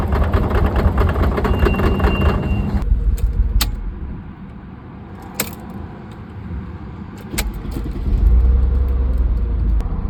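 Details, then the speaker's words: Mercedes C32 AMG supercharged, pulleys and tensioner recently replaced: engine roars with thin whine under boost, then after lifting throttle sharp irregular clunks over rough uneven idle, power falls off; restart clears it; cause unknown. "But when you turn off the car and turn it back on, the car is fine again until you try and create boost, and then that's when you hear that knocking sound."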